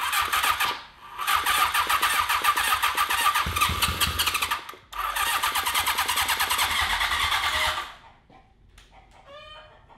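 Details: 1982 Honda CB750 750cc engine after carburetors reinstalled: two long stretches of fast, even cranking with no firing; cranks freely but won't start, weak spark seen, fouled plugs or bad coil suspected.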